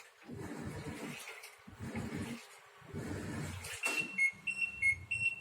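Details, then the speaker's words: Fully automatic washing machine: water sloshes, then short high error beeps repeat about twice a second; the door magnet sensor is damaged by water, suspected cause of the repeated beeping. "कि अगर आपके machine में सभी ping का problem आ रहा है बार-बार जैसे कि अब हम शुरू होगा और फिर थोड़ी देर बाद भी करने लगे हैं"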